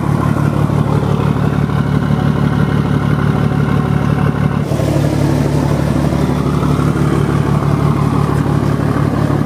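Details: 1975 Scania truck diesel just after fitting the cylinder heads, on a cold day (about 10 °C); oil pressure 7.5 and holding, around 1500 rpm shown: deep, steady rumble rising cleanly when revved, no knocks or rattles; healthy.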